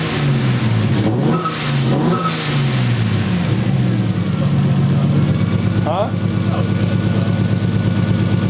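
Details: 1JZ VVTi swapped 240SX, now running with wiring and grounds checked and coolant and temp gauge working: uneven stumbling idle with irregular dropouts in the exhaust beat as revs rise and fall; steady misfire, owners suspect a bad igniter.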